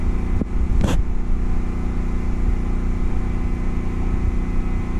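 Steady low engine drone with a brief sharp transient as a load kicks in; the set keeps running without an obvious bog.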